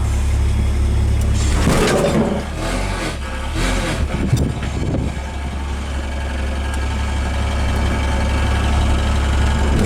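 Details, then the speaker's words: 1971 AMC Gremlin with a low steady engine rumble as the car moves and a loose tinny rattle over it from a little pan on the transmission cover vibrating; the car's brakes are poor. "brakes on the car and that's a little pan on the transmission cover that makes that noise that first time I've bent it"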